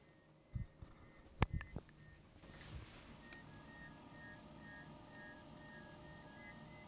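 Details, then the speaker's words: Liquid-cooling fans: low hum with a faint high chirp pulsing on and off; pump detected but no fan tach signal, noise caused by PWM control, fans not adjustable. "something is wrong with those fans they're making extremely weird noises the pump is detected but there is no fan signal from the fans the noise is definitely due to the pwm control"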